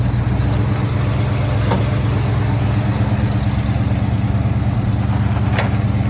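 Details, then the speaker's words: Classic muscle wagon rescued from a scrap yard: deep, steady exhaust rumble with an even firing beat and no knocks or ticks; the old engine runs smooth and healthy. "That sounds so good. Gonna get her looking as good as she sounds."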